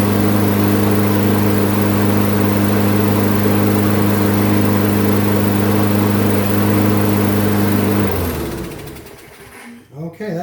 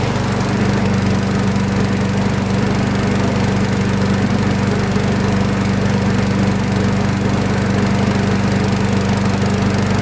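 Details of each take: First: Craftsman front-wheel-drive mower, good plug, sharp blade, metal chunk removed from blade-adapter pulley, oil not yet changed: steady even drone with no surging for about eight seconds, then clean shutdown; normal running. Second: Craftsman flathead front-wheel-drive mower, plug reads lean, drive belt just untwisted after metal chunk lodged in crankshaft pulley V: steady drone at constant speed, slightly soft and hollow, no drag or bogging; still running a touch lean, cause suspected, not confirmed.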